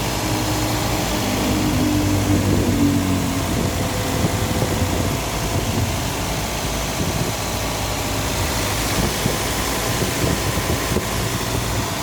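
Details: Toyota Vios Gen 2 after replacing AC compressor whose bearing broke: steady even idle with smooth low hum, no knocking or bearing growl; new compressor runs quietly and normally.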